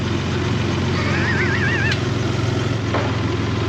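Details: Toyota 4Runner 3.0 V6 after head gaskets, valve adjustment, timing belt and front main seal, idling while the headlight is refitted. Even, low idle pulse with no knocking, ticking or misfire: healthy and steady.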